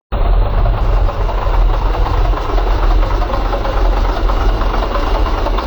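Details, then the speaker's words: Ford F100 V8 after sustained 6000+ rpm driving into elevation, now down on power with oil pressure fluctuations: deep heavy rumble with a steady low knock from the bottom end; owner suspects a rod bearing, possibly a main or thrust bearing. "and as you can hear uh that sounds like a rod i've heard a lot of rod knocked engines which is actually kind of ironic um this never had that sound so now it does"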